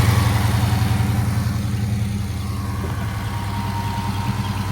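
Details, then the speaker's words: Hellcat Redeye supercharged V8 with stalling problem, started with the rail-mounted fuel pressure sensor unplugged: deep V8 catches and holds steady even idle; faulty fuel pressure sensor causing stalling. "It's crazy, man. All that stuff y'all see me fighting. Just for it to be a sensor, bro. $100 part."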